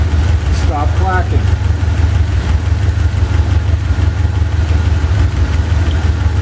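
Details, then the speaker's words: Chevy 350 V8 idling with driver-side valve cover off: light, quick ticking clatter about three per second from a loose rocker arm; lash set by backing off each rocker screw until it clacks, then tightening half a turn until quiet. "you loosen the uh rocker arm screw uh n until you hear a clacking sound and then you tighten it either half a turn 3/4 of a turn or a full turn till the clacking stops"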